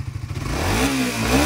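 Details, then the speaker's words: Suzuki Raider 150 Fi after basic maintenance (PMS) and FI reset: quick even idle beat climbing smoothly into a crisp rev, no misses or clatter; engine responding healthily, loud tensioner said to be normal. "Bagong tunog. So nag-aggressive yung unit niya mga paps, no? Gawa ng bago lahat,"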